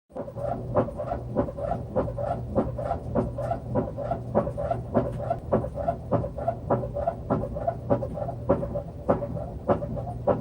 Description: Noisy Samsung washer with bad bearing